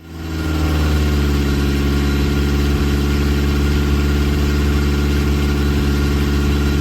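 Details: Ford Crossflow engine with twin 40 DCOE carbs, Kent 224 cam, Vulcan head, first dyno power run at conservative 26° ignition advance while bedding in; deep, strong, even exhaust drone under heavy load, no knock or misfire; healthy, made 115 hp, 118 lb-ft.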